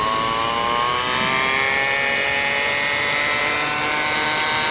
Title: Toyota Rav4 Transmission Whining Noise at Low Speed 40-50 kmph #shorts #toyota #transmission #noise